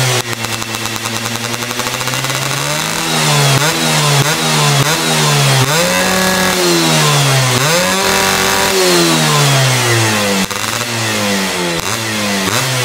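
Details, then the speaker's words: Yamaha F1ZR two-stroke with BRT CDI ignition, setting considered ideal, after a holed piston: sharp repeated blips, pitch flattening at top each time; high-rpm revs held back cleanly, normal. "Nah kayak gitu guys, jadi di putaran atasnya itu dia udah ketahan gitu ya, jadi enggak yang videoin juga."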